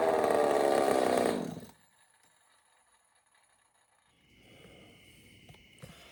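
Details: Echo 590 chainsaw on first start with a custom cylinder head, mixture screws turned out rich and not yet tuned: a brief, steady, high-pitched wide-open scream, then cut to quiet. Revs out cleanly despite a small leak at the head seam near the plug.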